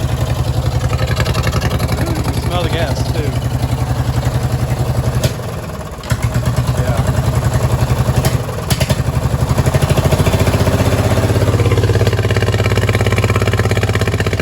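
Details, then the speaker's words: Li'l Red twin-cylinder tractor before repair: low, lumpy idle with an uneven chuffing beat that dips and recovers, running on only one cylinder; misfire caused by a spark plug with cracked, split ceramic. "so i'm gonna show you how red is running right now which is not good because it's only got one cylinder going"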